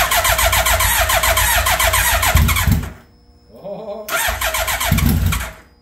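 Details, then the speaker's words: 2003 Suzuki Hayabusa with no mufflers, first start after repair with fresh oil, filter and coolant. Loud open-pipe engine fires, runs about three seconds, cuts out abruptly, restarts briefly and fades again. Owner suspects the tip-over sensor. Starts then stalls. "it when it starts and stops like that that's usually the tip over sensor maybe I need to just whack it and reset"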